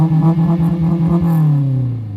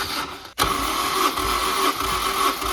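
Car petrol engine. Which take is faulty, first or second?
first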